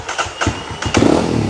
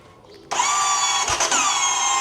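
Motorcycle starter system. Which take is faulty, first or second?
second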